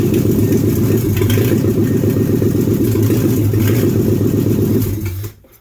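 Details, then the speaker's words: 1976 AMC Gremlin with salvage-yard AMC 360 V8 (5.9L) just installed, first start bottle-fed fuel down the carburetor, transmission nearly without fluid: steady, strong V8 burble for about five seconds, then shutdown; running normally. "I'm glad to hear that it is running because I wasn't sure if any of my wiring was remotely close."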